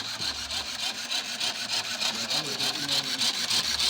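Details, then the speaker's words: 2014 Nissan Versa with P0705/P0706 transmission range codes: fast scratchy rasp about three times a second from the headlight motor with lights flashing; suspected voltage drop, unconfirmed. "it's coming from the the motor for the lights so this scares me this here is the motor for the the light as there's another noise it sounds like it's a voltage drop that's happening somewhere right with I have all the lights going crazy"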